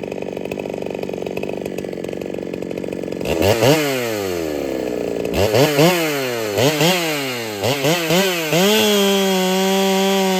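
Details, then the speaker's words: Ported Holtzfforma 395 chainsaw, a quiet saw in repeated test cuts after build changes: a scream and drop-off with a steady hiss of air from the muffler. Owner suspects the muffler is not enough and plans to address it next. Exhaust hiss under load. "And it has this hiss to the muffler, I guess you could say. You can hear the air coming out of it. It's kind of got this hiss to it whenever it runs."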